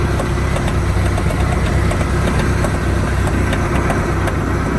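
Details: 1986 Sea Ray with new coupler, out-drive and gimbal bearing: light sharp ticks, about two or three a second, over a steady idle. The clicking seems to come from the rear of the motor; source unknown.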